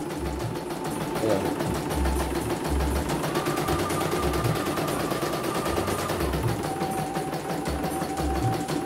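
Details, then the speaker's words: CNY embroidery machine (M21 label; owner's note: heavy rotation, just back from another service, unusable) sent in fully jammed; test on small frame after repair: fast, even stitching rattle, constant motor tone, no labouring or binding, runs normally straight away. "Oke, kita jalankan, perhatikan normal. Oke ya, langsung jalan langsung normal"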